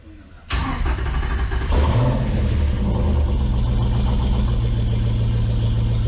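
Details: Replacement Hemi V8 in Jeep (Hemi swap after rollover-seized 6.1L motor), reused intake: starter catches at once, settles into a steady even low rumble with no knocks or misses; running healthy.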